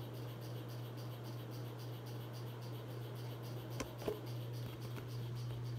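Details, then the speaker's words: 42-inch Hampton Bay Landmark III Plus ceiling fan, installed around 2011 in a laundry room, on high: steady motor hum with faint rhythmic ticking; the fan wobbles and is loud but pushes a lot of air. "all right here goes hi this is both it's wobbly and it's loud of speed pushes a lot of air though I will give it that"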